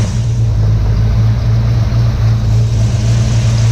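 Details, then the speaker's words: 1967 Ford Mustang 289 V8 after rebuild, timing set to about 10 degrees advance, idling around 800 rpm, still burning off some steam; deep steady smooth rumble, no knocks or misses; runs and starts great. "all right guys that's a wrap this thing's running doing good sounds awesome starts great get the timing set at the idle reset"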